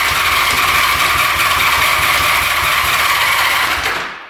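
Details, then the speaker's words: 1975 Honda Goldwing 1000, stored 25+ years: starter spins the engine in a fast steady churn but it never catches; no fuel reaching carbs on reserve or on, petcock/tank outlet clogged. "So it looks like we weren't getting any gas when it's on reserve or on."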